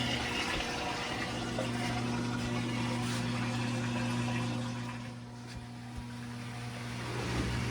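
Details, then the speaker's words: Whirlpool Duet front-load washer, 10+ years old, after repair: the drain pump gives a steady, even hum under water rushing out, with no rattle; the earlier vibration is gone, the pump is draining normally and there are no leaks. "All right, the pump is on. And yes, I think that took care of our vibration too. Going in the drain."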